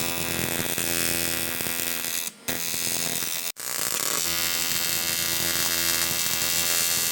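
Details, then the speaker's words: Nissan S12 Silvia turbo build, radiator fan motor after refitting a brush that was out of its holder: strong steady whir with constant pitch and airy rush, briefly interrupted twice; spinning freely, working normally. "Definitely working now. Perfect. Blowing quite nicely actually."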